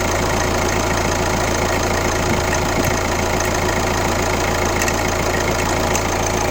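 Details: Kia Ceed 1.6 CRDi diesel (D4FB, "115"), idling: a steady clatter with a faint repeating knock about twice a second over the normal tick. It is an abnormal, weird engine noise whose source is unclear.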